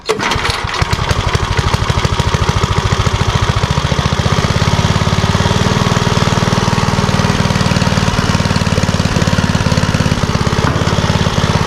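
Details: Troy-Bilt rear-tine tiller after repairing a rattling noise: small single-cylinder fires off quickly and settles into an even, steady beat with no rattle; running cleanly, rattle fixed.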